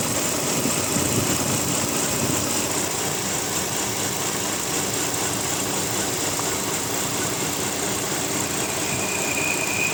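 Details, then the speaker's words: Volvo XC60 3.2 idling; steady high whistle over an even idle appears when closed, but the shaky, stumbling idle goes away and it runs smoothly; whistle source not pinned down. "Закрываешь, появляется свист, но зато проходит подколбашивание, работает ровно."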